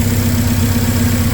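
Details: K24-swapped 1987 AE86 idling after correcting flipped MAP sensor wires that made it run rich and lowering fuel pressure to around 55; low, steady rumble with no surging or rich stumble. Normal idle.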